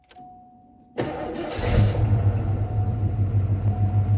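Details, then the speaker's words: Ford 5L 302 V8, restarted warm after running 20–30 minutes earlier: quick crank, catches cleanly, then an uneven pulsing idle that never settles; idle is not right and still needs addressing. "like it starts out pretty good but idle is not great on it although it sounds pretty decent out the back"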